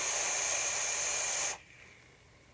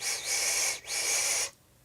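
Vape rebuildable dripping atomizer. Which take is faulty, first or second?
second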